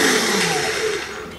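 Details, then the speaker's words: Brand-new Toro 21464 Personal Pace mower with a Briggs & Stratton engine that keeps blowing its starter fuse: with the top cover off, the starter is activated and gives a short whirring whine that winds down smoothly. "now i'm going to try and activate that starter a few times just by pushing the hands down and push the starter"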